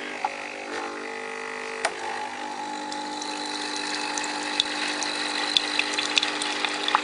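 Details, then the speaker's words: Nestlé Special.T tea machine with leaking water and blown fuses, more steam than water at the end, likely needing descaling: steady pump hum rising to a strained edge as pressure builds through the brew cycle; known fault, cause under investigation. "Là, on a comme une montée en fait en pression. Voilà. Et voilà ce qui se passe."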